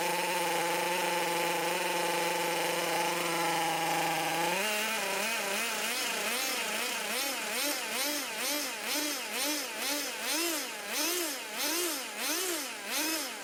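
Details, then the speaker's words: 16-year-old HPI RS4 3 Evo nitro RC car, first start after sitting, carb reset to factory settings: high buzzing idle that starts hunting up and down about twice a second; rich, smoky, oily rough idle. "i did reset the carb settings back to factory beforehand so it was quite smoky quite oily a little bit of rough idling probably"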